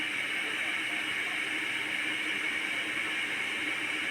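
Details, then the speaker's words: Electric kettle after no-power repair, plugged straight into the mains and switched on with the light lit: steady soft hiss with faint tonal bands, no crackle or rattle, as the water heats normally and starts steaming. "এই দেখুন শব্দ হচ্ছে, আপনারা শব্দ শুনতে পাচ্ছেন কিনা দেখুন। এটি কিন্তু গরম হতে শুরু করে দিয়েছে, আমি কিন্তু শব্দ শুনতে পাচ্ছি। দেখুন ভিতরে পানি গরম হচ্ছে।"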